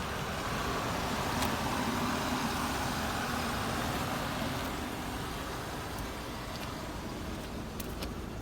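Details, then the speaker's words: 2001 Audi A4 wagon with 270,000 miles, warmed up: a quiet, even purr at idle with a soft steady pulse; the owner suspects a motor mount is starting to go, but overall it sounds healthy. "Remember, 270,000 miles. It's still nice and quiet."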